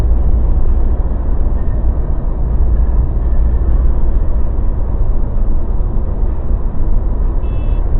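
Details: Mazda BT50 pickup on the move after the fix (following earlier drive shaft cross joint and center bearing work): steady low road rumble, no clunks, knocks or grinding; drivetrain and front suspension quiet.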